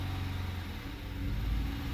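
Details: Dodge Charger V6 that would not start, running on throttle-body spray with a flashing check engine light and P0300: lumpy, uneven idle rumble from a multiple-cylinder misfire, one cylinder with no compression; may not need a new engine.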